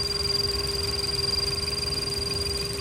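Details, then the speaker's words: PCV valve heard through an electronic stethoscope with the needle on the valve body at idle: steady, even soft ticking over a faint idle hum, showing the valve opening and closing normally. "that PCV valve is opening and closing as it should"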